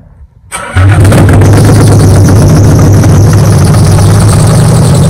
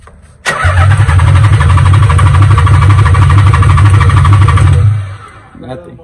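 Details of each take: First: Nissan 300ZX Z32, sat for years: with starting fluid sprayed in, cranks briefly, catches within a second and holds a loud, steady, even low rumble, rpm building; engine running again after revival, old stale gas still in tank. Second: Nissan 300ZX Z32, sat for years: starter spins engine at a steady even churn about four seconds without catching, even with starting fluid sprayed into intake pipe; fuel pump not kicking on, suspected no spark, possibly loose ignition connection.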